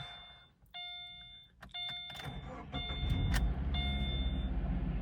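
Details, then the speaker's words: 2013 Subaru Impreza with replacement engine, transmission fluid low and fuel tank empty: door chimes, then quick start into smooth, even idle with no odd noises; check-engine light on with code P0366, camshaft position sensor. "It sounds okay. It's running pretty smooth, but you can see we've got our check engine light on, and there's no gas in the car either."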